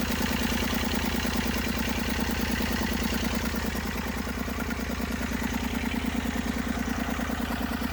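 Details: Massey Ferguson 35 diesel tractor, 20+ years sitting, tow-started in third gear high after starter failure, firing after about 300 yards: steady, even chug with firm regular beat, no knocks or misses; normal running.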